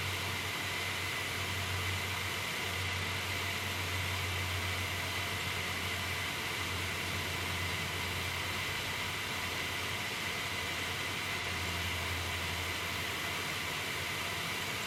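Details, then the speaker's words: MSI R7950 Twin Frozr overclocked to 1100 MHz core, 1500 MHz memory, 74–75°C, heard close up: constant loud airy roar with faint steady hum, no rattle or scrape, too loud. "75 is good, that's fine, but the problem is it's gotten to the point now where I personally wouldn't want to use it like this, mainly because of the noise."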